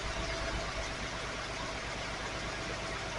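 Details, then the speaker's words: 1980 Datsun 280ZX inline-six (manual), first run after about 26 years of storage, at steady throttle: a lumpy idle with an irregular stumble about three times a second as one cylinder isn't firing yet. A stuck injector or fouled plug is suspected. "So you got a cylinder that's not firing yet, but it'll come around here in a second."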